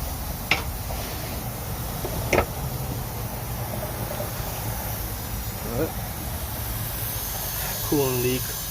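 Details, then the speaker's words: Honda Civic EG hatch with a turbo at idle after being driven to the shop: steady pressurized hiss from coolant escaping a leaking hose. "got a cooling leak I know which hose it is cuz I saw it just trying to make it to the shop as quick as I could can actually hear it hissing from all the"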